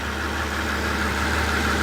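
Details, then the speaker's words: 2004 Mercedes SL600, 500hp twin-turbo V12, idling with ABC fluid full: steady even low idle with no misses, knocks or stumbles, running on all 12 cylinders; normal idle. "And it sounds like it's running on all 12. It sounds good. It does. It sounds good."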